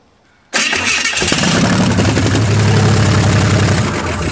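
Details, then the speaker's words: Hudson rat rod with headers, first start after gapping new spark plugs and adjusting the distributor, running on a little gas in the carburetor. Fires instantly into a strong, even, deep run with no misses: normal start and run. "that's what i'm talking about we just had a little gas in the carburetor ran the fuel out that sounds good that's going to sound good and those headers yes sir well sounds deep"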